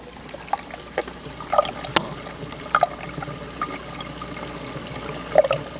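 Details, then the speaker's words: 150-gallon aquarium Reef Octopus overflow box with silencer lid lifted off during filtration test run; light trickling water with scattered gurgles and splashes, noisier without the lid. "can kind of hear it a little bit I mean this helps to silence it some but let me show you what I did"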